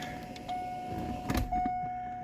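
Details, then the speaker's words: Corvette Z06 with 6.3 stroker and A&A supercharger during fuel system upgrade, key-on: steady high electric hum about a second, pause, hum again; fuel pump priming normally. "I think you guys will agree that sounded like a fuel pump came on."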